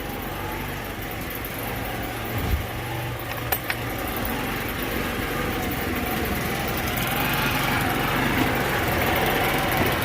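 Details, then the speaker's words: Scooter after a vacuum line fix and a new spark plug, not yet warmed up: small engine ticking over slow and slightly uneven, about two and a half beats a second; idle set too low, about to be raised with the Phillips screw. "let her warm up to probably turn the idle up just a little bit the idle seems a little bit low let me grab my uh phillips head"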